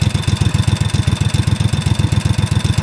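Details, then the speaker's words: 2005 Snapper ZTR mower, 1,500 hours, after carburetor replacement: steady fast idle with sharp, even ticking about ten a second; owner suspects a valve and that the governor is still misadjusted. "And I hear a lot of ticking. I'm thinking that might be the valve."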